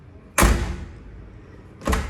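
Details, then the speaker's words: Hyundai HB20 front door closing with two hard, bright metallic bangs and failing to latch properly, from a worn latch; the rear door closes silently. "porta não fecha direito e ainda fica fazendo esse barulho ó não fechou ainda tá vendo bater bem forte"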